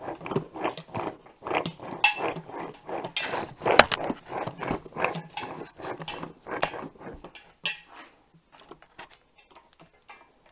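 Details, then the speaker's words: Hub spun by hand on a 2002 Ford Ranger 4x4, 4.0L SOHC, 137k miles: gritty, crunching rough feel from a failing driver-side front wheel bearing that caused a front-end howl while driving. "and lots of them it's rough you can hear the busted bearings or damaged ones"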